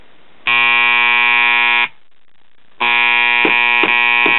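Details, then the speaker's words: 1977 Realistic Radio Shack STA-64 stereo receiver: harsh loud 120-cycle buzz cutting in and out, triggered by slapping the cabinet; loose connection traced to intermittent fault inside the power supply electrolytic filter capacitor (Elna). "all of a sudden I heard this loud buzz that sounded like bad filter capacitor hum"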